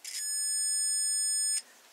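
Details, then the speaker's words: Multimeter in continuity mode, probes shorted together before testing fuses: single steady high-pitched beep of about 1.5 seconds, meaning the meter works and is ready. "escucha un pitido, lo que significa que el dispositivo está listo para las mediciones."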